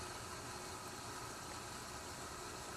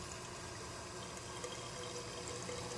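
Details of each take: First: PSK-100 protein skimmer on a saltwater aquarium, hooked up an hour earlier and still breaking in: soft, steady hiss of water and air with heavy bubbling and slight gurgling, no knocks or rattles; running quietly and normally. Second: PSK 100 protein skimmer on a saltwater tank, hooked up an hour earlier and breaking in: soft irregular watery gurgle over a faint pump hum; owner assumes it needs air brought in.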